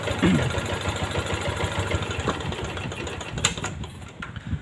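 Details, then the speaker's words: Yamaha Jupiter MX that had lost ignition spark despite a new regulator (kiprok) and new coil, started after a full wiring and ignition check. Engine catches and settles into a light, steady putter with no stumbling; healthy idle. "Coba kita tes kita hidupkan [Musik] nah ini udah hidup ya teman-teman mantap"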